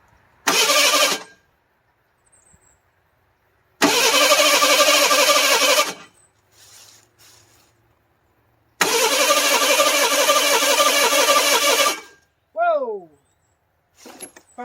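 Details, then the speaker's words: 1985 Ford Bronco II, 2.8L engine with fire-burnt wiring and a partial Duraspark conversion, distributor possibly 180° out: three long bursts of steady cranking, no firing; crank no start, owner suspects no spark from a ground issue. "I don't think it's sparking I think could be a ground issue"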